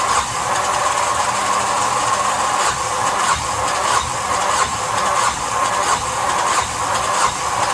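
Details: Yanmar SB12 marine diesel after fuel line repair and repeated bleeding, at about 41°F: uneven, hissing cranking turns about once or twice a second that never catch; cranks but won't start, air in fuel most likely.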